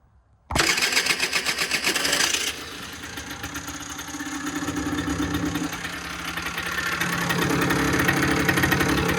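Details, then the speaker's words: 2008 Rieju RS 50 / Matrix two-stroke motorbike, 6,800 km, after a no-start was traced to the spark plug (CDI suspected, not the cause): completely cold start with choke on fires at once, then settles into a crisp, even steady idle; healthy. "This is a cold start. Completely cold start. Choke on."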